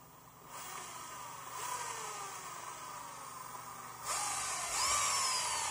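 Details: Small motor fitted with a new MY1018 bearing full of grease: a high, smooth whistle rising and falling with motor speed, no rumble or grinding; normal motor whine, healthy.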